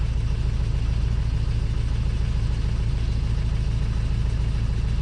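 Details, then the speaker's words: Honda Civic 2.2 diesel scrap car at 249,842 miles, at idle; steady even diesel clatter with no knocks or misses: sounds healthy and normal. "does it sound healthy sounds like every diesel normal doesn't it"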